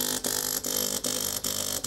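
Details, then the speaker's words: De'Longhi PrimaDonna Elite Exclusive espresso machine, used, heating in progress with air in the circuit: harsh buzzing pump cutting in and out about every 0.4 seconds, not drawing water. Clogged flow meter suspected, not confirmed. "I'm trying to pump but don't pump you can see the heating is in progress but there's air in it so let's"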